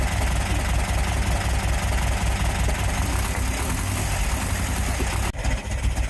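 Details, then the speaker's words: VW sandrail dune buggy after 18 months standing, first running: lumpy, uneven idle with a missing beat, firing on only three cylinders; misfire, running rough, a split vacuum hose later found as likely cause. "I think it's definitely firing only on 3."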